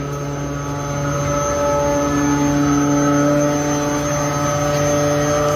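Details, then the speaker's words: York industrial water chiller, system 2 restarted after replacing the damaged electronic card of the refrigerant liquid level sensor (probe kept), which had caused a low suction pressure alarm: smooth, steady hum with no knocks or surges, running normally, problem resolved. "y pues aquí tenemos nuestro sistema 2 ya trabajando hemos resuelto el problema"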